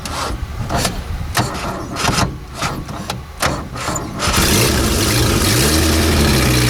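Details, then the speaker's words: Renault R10 after 20+ years sitting, now running: a few knocks and clatter, then catches and settles into a steady even run, no misses; no blue exhaust smoke. "what I did notice there was there was no smoke coming out of the no smoke coming out of the exhaust pipe there was no blue smoke there was nothing"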